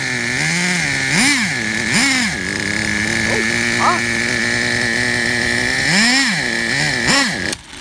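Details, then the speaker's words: Traxxas Revo 3.3 nitro RC truck engine: sharp high-pitched buzz rising and falling cleanly with each throttle blip, settling to a steady idle. Engine healthy; truck needs new transmission (spur gear missing teeth), starter motor and one-way bearing. "The engine is good. All it needs is new transmission, new spur gear, new starter motor, and a new one-way bearing."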